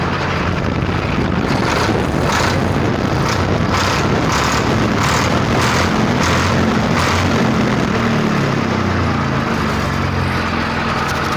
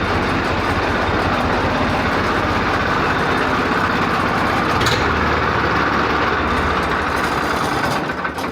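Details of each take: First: Swaraj 855 tractor diesel, in for a starting problem, running after start-up: steady, even clatter with a firm low thrum and no misses or knocks. The engine runs cleanly and sounds healthy. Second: Swaraj 855 tractor diesel with hard starting: rough, uneven idle with a loose chuffing beat and no steady rhythm. Oil pressure is fine, and blow-by appears only after warm-up, suggesting a tired engine with worn piston rings.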